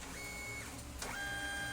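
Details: Brother DCP-T420W printer: feed motor whines, then a sharp gear clack when it tries to pick up paper, from a broken gear; later fixed.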